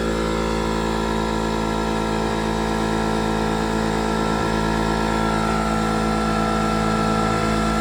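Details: Two-stroke 8V71 Detroit Diesel V8 from an old tour bus, fuel racks tied at full fuel, in deliberate runaway with a constant high-pitched scream held flat at full revs; a water hose is to be fed into the blower.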